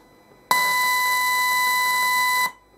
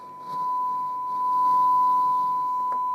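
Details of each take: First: Discrete op-amp build (Rod Elliott's experimental discrete operational amplifier project) fed a 100 mV DDS test tone sounds harsh, buzzy and heavily clipped: the feedback resistor was wired to the wrong transistor's base, leaving the amplifier open-loop and distorting. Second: so I can hear that the signal at 1 volt going in is pretty clean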